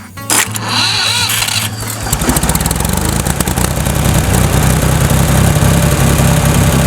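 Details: Tractor after replacing snapped-housing starter and fried starter solenoid, previously long slow cranking: short crank, catches within about two seconds and settles into steady idle under music; normal start and idle.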